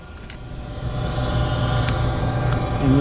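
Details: Goodman 95% AFUE gas furnace, first official startup of the heating season: low hum swells over a couple of seconds into a steady burner roar with faint tones on top; clean, normal burner ignition.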